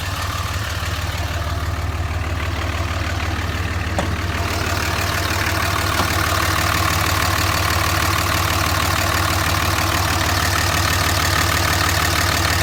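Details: 2005 Dodge Ram misfiring and smoking right after a cold start, then smoothing out when driven; bad injectors are suspected but not confirmed. Loud cold idle with an uneven thumping beat about three a second over a steady drone.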